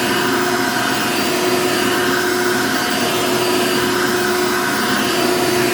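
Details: Genuine Hoover vacuum, reasonably cared for, 99.9% microfiltration: steady even motor roar with constant whine, no surging or grinding; motor normal, needs only cleaning and a belt, likely stretched, brush roll dragging on carpet.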